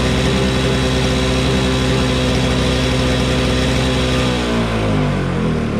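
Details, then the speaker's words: Toro Snow Commander snow blower, cold start after sitting, good compression and magneto, primed: fires up and holds a steady, even run, revs shifting smoothly near the end; it just needed gas, running normally. "good magneto let's see if it starts to begin with one pull [Music] just needed gas"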